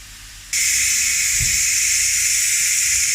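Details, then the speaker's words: Ninja pressure cooker venting steam after pressure-cooking beef brisket: a sudden loud, steady high hiss as the valve opens, venting evenly. Normal pressure release. "So after that, we've just got to vent it, which is what we're doing now, look."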